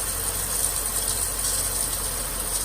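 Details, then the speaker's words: 2012 Nissan Maxima at idle with a newly replaced A/C compressor clutch (the old coil was burned and read open): a steady high scraping hiss over the idle as the clutch rubs. The air gap spacing is incorrect, and the owner thinks another washer is needed and fears the clutch will burn up. "That spacing is not correct. Clutch is gonna burn up. You can hear that noise. It's rubbing right now."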